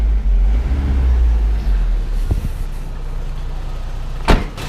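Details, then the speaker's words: Toyota turbo pickup after new timing chain, guides, tensioner and water pump: smooth even idle, no more rattle as revs drop, which was a slapping chain from broken guides; one clunk near the end; normal idle. "now you see that is ticking over quite nicely now there's no more of the nasty rattle when the rpms start to decline that there was before"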